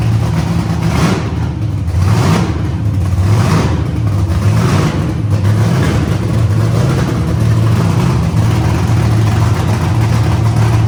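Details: First-ever start of the CLIK-B8 wagon project with painters tape over a manifold hole that made it run lean. It catches and settles into a steady, even idle with a couple of light throttle blips and no misses or stumbling, so it runs normally.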